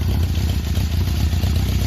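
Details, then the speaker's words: One-owner 1976 Honda CB750K (K6) SOHC four, 2,365 original miles: low, steady even burble on choke with no misses or knocks; healthy cold idle that will smooth as it warms. "And of course, as it uh warms up, it'll smooth out some more."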